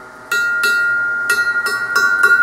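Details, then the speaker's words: Hollow steel column of DIY bench grinder pedestal (brake drum base, 1/2" plate) struck five times: sharp strikes with long clear high ring, undamped resonance; to be filled with sand to dampen vibration and noise. "vibration and noise well i think that that's going to be amplified through that grinder when you're using it so to help dampen the vibration i think what i'm going to do is fill this tube with sand"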